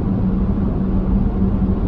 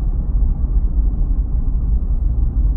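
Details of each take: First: Vehicle with LFD Off Road crossbars at the front of the roof rails, at 60 mph: a steady low hum over the road roar, more pronounced on this road. Crossbar wind hum. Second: Toyota 4Runner with LFD Off Road crossbars mounted at the very front of the roof rails, at 40 mph: only a low, steady tire rumble with no whistle or hum. No crossbar wind noise yet; it starts around 45–50 mph.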